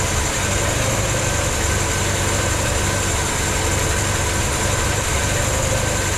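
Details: 1964 Ford Falcon after head gasket work, idling once fuel took a minute to come up; the fuel pump was then found leaking. A steady, even low rumble with no knocks, misses or hunting shows a smooth, healthy idle.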